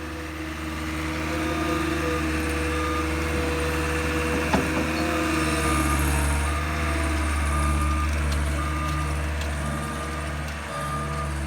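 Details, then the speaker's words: Cat 257 rubber-track loader regrading a yard: low steady engine drone, reversing alarm beeping about four times a second, and a faint squeak from the rubber tracks, normal and not fixable by greasing. "that's in the tracks and there's nothing you can do about the track squeaking that's just part of the rubber track system"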